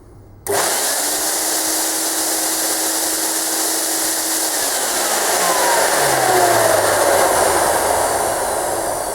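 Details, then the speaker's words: Premier Clean Monarch 650 twin-motor ducted vacuum, about 10–11 years old, low suction complaint: rising whine and airy rush with one motor tone; left motor works, right motor failed from wear and only spins from the left's suction. "As you can see, the left motor is working fine and the right one is spinning from the suction of the left motor."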